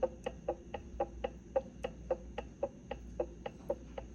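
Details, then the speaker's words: Correct ring and pinion backlash on a Winters quick change rear end being assembled: faint crisp clicks, about four a second, as the ring gear is rocked by hand while the pinion and carrier stay still; lash set by gasket thickness. "If the ring gear moves, it makes just a little faint clicking sound. It's really hard to describe. Then you're there."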